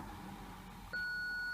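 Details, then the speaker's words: BMW E46 Touring rear parking sensors, ignition on, reverse engaged, newly fitted eBay sensor (arrived with a broken tab) unplugged: one continuous high beep without pulsing, meaning a missing/faulty sensor; with the new sensor plugged in, no beeps at all. "so the new sensor just a silence the beep and not working make nothing working"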